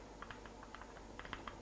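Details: Vaillant Ecotec boiler with original silver-faced Wilo circulation pump: quiet hum with irregular sharp ticks and clicks as the pump disintegrates inside, prone to failing completely; fix is replacing the whole pump body with the Grundfos 17-8983.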